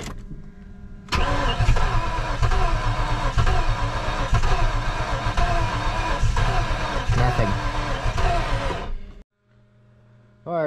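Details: Steady rhythmic cranking of roughly four beats a second for eight seconds from a project car after distributor and spark checks, fuel in tank; starter churns but the engine never fires.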